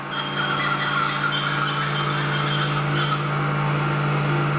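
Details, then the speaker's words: Old Heidelberg printing press, motor after rewiring, speed controller raised: clean steady hum with bright tone, no grinding or rattle as it runs up; motor and speed control working normally. "the motor gets quicker. Okay, so the motor's working, speed control's working. I thankfully wired it properly, nothing's blown up."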